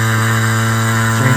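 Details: Vacuum pump evacuating the R134a AC system of a V8-swapped Chevy S10, gauges connected and valves opened: a steady low motor drone that shifts in tone as it pulls vacuum on the low side. Pump working normally.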